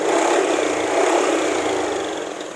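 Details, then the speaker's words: Honda Vario eSP scooter after repair of low-rpm hesitation and cutting out (injector and TPS previously replaced): the engine picks up cleanly and holds smooth revs with no stutter, so throttle response is now normal. "Nah sepertinya sungguh ya teman-teman tapi untuk memastikan bahwa ini benar-benar sembuh kita lakukan kembali hidup ulang seperti ini terus ya sampai kita ngedapatin motor ini benar-benar normal nih gasnya lancar sekali dengerin ya suaranya ya Nah dia aman ya"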